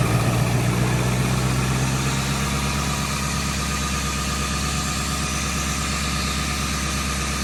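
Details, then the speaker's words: Low-mileage Ford F350 7.3 Powerstroke diesel idling to warm up after first oil change (Rotella T5, Motorcraft FL-1995 filter): deep even rumble, light steady clatter, no misses or knocks; healthy idle. "Everything sounds good, sounds healthy."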